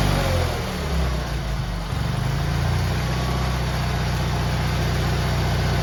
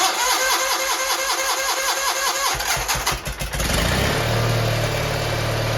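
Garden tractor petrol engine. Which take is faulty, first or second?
second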